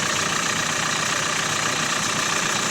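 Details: Renault Megane 4 1.5 dCi diesel idling after an experimental fix of the knocking crankshaft damper pulley, phone recording: steady, even diesel clatter with the usual injector rustle and no knock; engine sounds sound.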